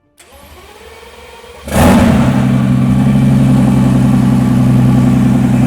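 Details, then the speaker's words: Mercedes S65 AMG, M279 V12, first start after full rebuild following oil starvation seizure, oil and fuel pressure checked: short crank, then fires and settles into a smooth, deep, steady idle with no ticks or knocks; normal. "Yes, man, come on! Beautiful! Beautiful, beautiful, beautiful. Just like that. Come on, man. And she sounds sweet and amazing."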